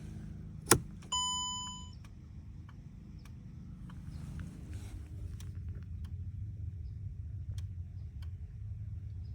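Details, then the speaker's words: 2008-2014 Mercedes C250 W204, key in ignition: faint irregular clicks under low hum after key click and chime, no dash lights, windows dead; electronic steering lock at the column trying and failing to unlock. "You can hear it clicking. It sounds like it might be coming from the cluster, but it's not. It's coming from the steering lock. It's trying to open."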